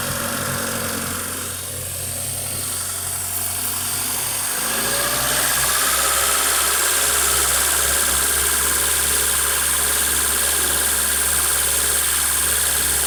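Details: Honda Civic EU8 (EP2) with a nearly finished D16Y8 intake conversion, idling cold: an even idle with a steady airy hiss over the running note, the classic sound of a vacuum leak, traced to the throttle body gasket.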